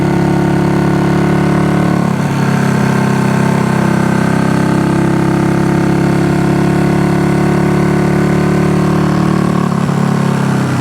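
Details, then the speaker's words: Honda CB200T twin after cam replacement, still on its old spark plugs: a low, lumpy, uneven idle that sounds like only the left cylinder is firing; the owner suspects the spark plugs, and the carbs also need work. "sounds like we're only on the left so CV 100 right now could be spark plug it's got the old spark plugs that were in it"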